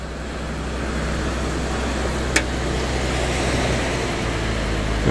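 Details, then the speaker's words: Late-1940s Dodge pickup, cold start in snow, choke pushed in: steady, even low rumble with no knocks or misses as it settles into a smooth idle; normal. "sounds alright doesn't it"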